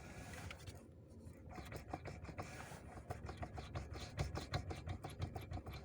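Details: 2007 Renault Megane 2, 1.6: sharp hollow knocks, irregular, roughly three a second, over faint rubbing; knock inside the steering column, not the steering shaft with its universal joints.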